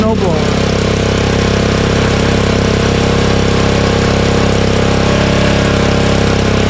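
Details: Honda snowblower unused since the last snowstorm, started on choke with the fuel shutoff closed so it runs out of gas for storage. It catches on the first pull and settles into a fast, steady single-cylinder putter: normal idle.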